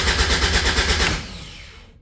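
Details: Caterham 7 620S, cold after sitting overnight: starter spins engine with quick even chugging about a second, never catches, winds down; immobilizer suspected, fuel pump primes; cause not confirmed.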